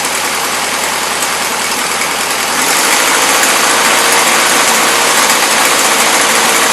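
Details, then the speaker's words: 1977 Toyota Celica, Weber carburetor: loud, rough, uneven running with a hissy exhaust note; carb running rich and loading up despite mixture screw fully in; no blow-by or smoke, small exhaust leak. "there we have it i'm not sure why the carburetor is loading up but then again you know i knew it was junk"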